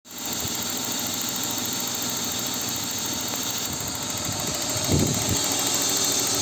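Steady inline-six idle with a light, loosely regular tick riding on top; the source can't be pinned down by ear.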